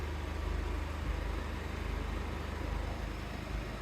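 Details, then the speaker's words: 2014 Jeep Wrangler JK 2.8 CRD diesel, about 99,000 on the odometer, idling after an oil service; owner adds a fuel additive at every fill and says it runs sweet with no noise, rattles or clanking. Low, even diesel thrum with no knocks; healthy, smooth idle. "every time I fill that up with diesel I put that in it the thing runs sweet there's no noise no rattles no clanking"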